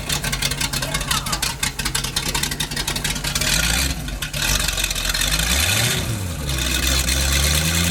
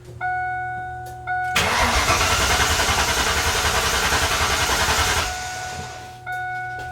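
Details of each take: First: Engine, a 260-horsepower boat motor running on a temporary fuel line through a water-fuel separator, catches after a short crank and settles into a steady, even run with smooth rev changes; running properly. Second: Mustang cranks evenly for three and a half seconds after warning chimes but never catches, because the fuel pump wiring connector was unplugged during testing and the pump gets no power; crank, no start.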